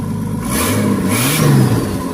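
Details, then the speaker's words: Turbocharged Nissan GQ Patrol on an eBay kit with wastegate and screamer pipe; revs with a raw, loud, unmuffled roar that rises and falls with throttle, because the turbo dump pipe was forgotten and not fitted. "Cut it. What do we got? Oh! Dump pipe. Idiot. Oh yeah! Oh yeah! What a flogger, guys."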